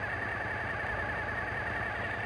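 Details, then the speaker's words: Suzuki TL1000S V-twin idling low and steady at about the 1200 rpm spec during TPS/throttle body synchronization adjustment, even loping beat with no surges; normal steady idle. "check our idle we're sitting good each time i make an adjustment i read the engine slightly and then allow it to idle back down"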